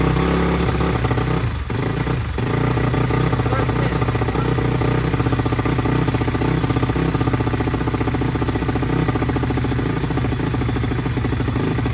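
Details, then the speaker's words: SSR YX140 pit bike, 140cc single-cylinder, at first kick start after the build: loud, chattering metallic rattle at idle from a loose bracket; fixed by zip-tying the bracket and tightening the parts. "We'll just put a zip tie around the bracket that was rattling, making that noise, and then tightened up the pieces so they wouldn't rattle."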